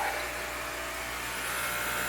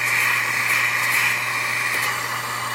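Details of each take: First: Jehmco diaphragm air pump for fishroom central air system, PVC piping, no air lines yet, maximum output through diffuser silencer: soft steady airy hiss with faint even hum, no rattle; running quietly and normally. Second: Jehmco diaphragm air pump for a fishroom central air system, at maximum output with no air lines connected yet, silencer removed. Loud, steady, airy exhaust hiss over a low hum, far louder than with the silencer fitted.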